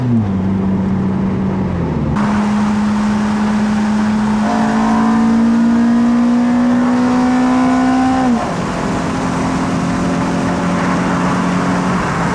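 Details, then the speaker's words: Toyota Celica GT-S (2000–05) with an Injen IS2045P short ram intake and TRD exhaust, driven warm under acceleration: note climbs, dips at a gearshift, then pulls with clean intake roar; alternator whine audible; normal running. "So that's the engine intake."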